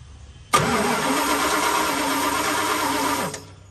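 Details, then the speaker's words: 1975 Dodge D200 crew cab, 360 small block, four-speed, long sitting; jumped at solenoid with screwdriver, key on, carb cleaner added: even three-second crank, never fires; no spark, ignition switch suspected. "And I have the key on, so the ignition is live, or should be. So it is not acting like it's getting sparked."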